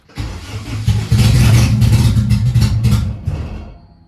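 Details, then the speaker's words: AWD B-series hatch on OEM ECU without distributor, after reconnecting a circuit: cranks, catches, runs raggedly about three seconds, then dies; owner suspects low fuel, pump sounding like it struggles with air. "yeah I don't know if it has enough feel or not but hey started I wanted to stay on though"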